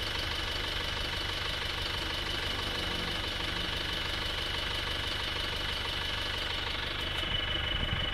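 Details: Isuzu Panther automatic diesel, rebuilt (piston rings, valve seals), idling at the workshop after the road test: steady, even idle with a constant hiss, no misses or surges, and very thin smoke. Healthy.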